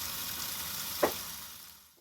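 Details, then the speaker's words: 1998 Roper washing machine after replacing the faulty water inlet valve that let hot water only trickle; set to hot only, strong rushing hiss of water filling with a brief splash, hot fill now flowing properly, a normal fill. "Now I'm gonna turn it to hot only. Look at that. That is how it's supposed to work. Nice, and it's so hot."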